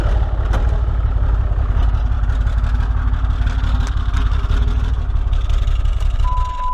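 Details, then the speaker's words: Ram 6.7 Cummins diesel, new studded head, aftermarket parts and second-gen swap, low dash voltage: heavy, uneven lope at idle; seller claimed a bad injector, cause unconfirmed. "we thought it was an injector problem it's got a pretty nasty elope to it"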